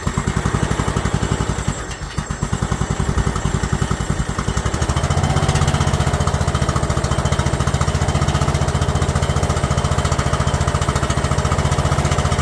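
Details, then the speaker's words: Free abandoned Yardman lawn tractor, single-cylinder engine with pressurized oil and filter, oil found low: cranks right over and fires right up, slightly uneven then steady even thump about four per second; running normally. "crank right over I mean just fired right up crazy it was free it's good"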